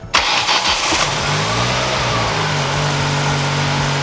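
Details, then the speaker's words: SVT Ford four-cylinder after fixing a spark plug wire not contacting cylinder four's plug: catches and settles into a smooth, even idle with steady hum and no misfire; all cylinders firing, normal idle. "wow man that's crazy man when you have four spark plugs it runs like it's got four cylinders what a concept"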